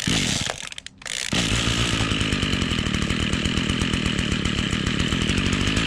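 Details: Echo string trimmer, two-stroke, cold start on choke after fuel line repair and priming: short sputter and stall, then catches and holds a steady buzzy high-revving run; now stays running normally.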